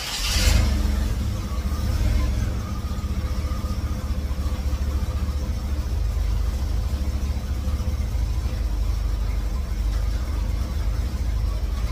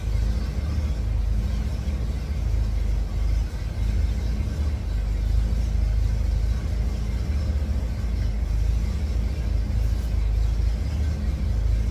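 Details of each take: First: 1954 GMC COE with GM 4.3L Vortec V6, cold start on new spark plugs while setting timing: brief burst then deep, uneven lumpy idle; fits ignition timing set too far advanced. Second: 1954 GMC COE with GM 4.3L Vortec V6, after regapping spark plugs to .035: steady, even low idle rumble with no stumbles or sputter, much better than the previous day when it needed throttle to keep running.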